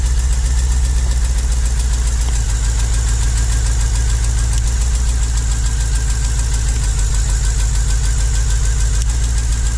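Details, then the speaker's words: 2009 Holden VE Commodore 6.0L Gen4 V8 with a rough, lumpy idle miss that sounds normal at first start and worsens as rpm drops; a broken pushrod leaves cylinder 2's valve stuck closed, so that cylinder misfires. "But that valve there, that's stuck closed, absolutely closed. It's not letting any fuel and air into that cylinder, so it's not helping that at all."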